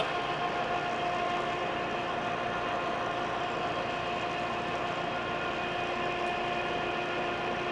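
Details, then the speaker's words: Lucas 441-B machine tool, an old machine being started up: steady motor rumble with a constant hiss over it, from an air leak at a bad hose in the back; some pneumatic features not working. Air hose leak. "so the first one that's obvious is we have an air leak um you can probably hear it but it's just a bad hose in the back so that'll be easy also"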